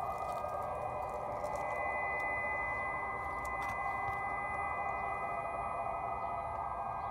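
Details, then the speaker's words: 2017 Chevrolet Volt in Drive at low speed: faint steady electronic hum with a couple of fixed high tones and no motor noise underneath; pedestrian-friendly alert system active, working normally, later disabled by removing a fuse in the trunk. "that's not the motor that's just an artificial noise so let's go see how we can turn it off"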